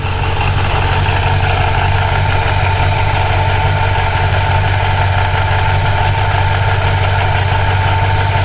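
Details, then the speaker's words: RAM 1500 with swapped Hellcat 6.2L supercharged V8, fuel pressure set near 90: loud steady idle with fine rattling chatter over the rumble, worse when revved; owner suspects supercharger blades, unsure if normal. "i just don't know if having all this chat or at idle is acceptable or normal i know the dakota does not make this much chattering just chilling here"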